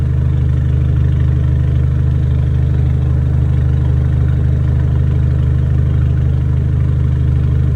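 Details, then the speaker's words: 2010 VW GTI two-door after timing chain tensioner failure, rebuild and water pump repair. Misfire was blamed on very old gas, cleared by fresh fuel. Smooth, even low idle with a steady throb, no stumbles. Normal idle. "So, finally, after 754 days, the car is up and running again with just a small issue."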